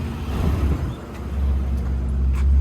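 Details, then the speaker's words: XR31 engine at normal idle at 87 degrees after a large vacuum leak at a valve bolt was sealed. Idle is quieter and even, rising about 200 rpm and holding steady; the leak had caused lean running and the earlier overheating. "87 degrees it's quieter way heaps quieter i feel like it picks up like 200 rpm with that easily"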